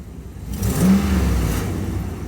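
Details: 2009-2014 Dodge RAM 1500 5.7L HEMI V8 after new serpentine belt and tensioner: engine blips up and settles with only exhaust and engine note, no squeal; belt drive normal.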